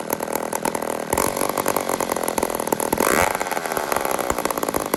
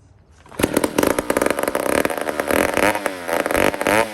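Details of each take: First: "150" chainsaw (Toronto, Canada) after carburetor repair: small two-stroke buzzes steadily with a couple of short revs, holds a clean, even idle without stumbling; sounds healthy and runs normally. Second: 150 chainsaw made in Toronto, Canada, before carburetor work, carburetor very dry: catches only when primed, revving unevenly and sagging over a few seconds toward dying; fuel starvation, starts then dies.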